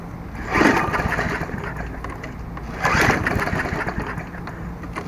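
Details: Murray 22-inch Sprint 3.75 hp mower, after replacing seized stop cable: two rope pulls give brief rattling turnover that dies, never fires; no-start, clogged or oil-soaked air filter suspected next.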